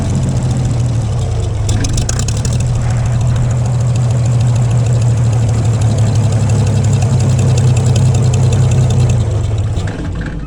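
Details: Gleaner combine gasoline engine on its first start after a carb rebuild, starter rebuild, two push rods straightened and rewiring. Old tank still holds some sludge and there is no antifreeze, so only a short run. Deep, loud, lumpy idle throbbing about four times a second; rough running.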